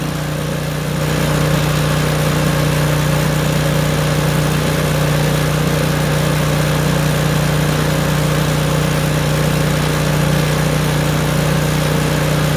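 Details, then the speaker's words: Craftsman snowblower, thought to be about 3–4 years old, after start-up with choke clicked to full run: steady, even small-engine putter with smooth hum, no popping or hunting; idling normally with choke off. "Go to click it 1 more time to full run on the choke. Now the machine is at full run."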